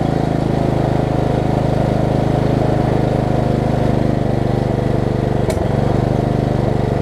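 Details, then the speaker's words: Lowe's riding mower single-cylinder engine, blade off, after ignition repairs: steady even low throb at constant speed, no misses, knocks or backfiring; runs, though not very well; owner suspects missing governor or tight throttle linkage. "oh we got a run of us animoves and it's written it no backfiring okay well their runs albeit not very well at this point that is a step"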